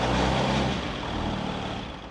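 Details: Newly installed built 6.7L Cummins diesel (Tow Monster Plus) in a truck, first run after air bled from fuel system: deep even rumble easing down after a touch of throttle, no misses or knocks, running smoothly.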